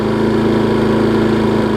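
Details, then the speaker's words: Husqvarna self-propelled mower, warmed up after service, cleaning and deck height bolt fix: steady, even drone at low throttle with no misses or knocks, idling smoothly and healthy; self-propel working. "show y'all that it runs runs and it's ready to go it warmed up"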